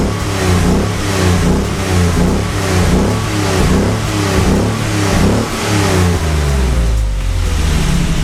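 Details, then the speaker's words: 1979 BMW 633CSi after first start in 5 years, straight-through exhaust with X-pipe: repeated throttle blips give a deep, even burble rising and falling cleanly with no misses; sounds healthy, not too loud. "I'll include some clips of the exhaust raving it sounds really good I have an x pipe it's pretty much a straight through with an x pipe um doesn't sound too loud and yeah you'll hear it next"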